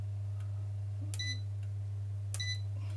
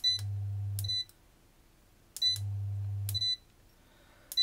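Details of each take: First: ERGO FS 1677 fan after repair, mains capacitor replaced (was beeping and shutting off): steady low motor hum with two short sharp beeps as first, second and third speeds are selected; all running normally. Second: ERGO FS 1677 fan control board: beep, low hum for about a second, then cutout with another beep, repeating every two seconds; 5.1 V zener supply reads about 4.5 V, a voltage sag possibly causing shutdowns.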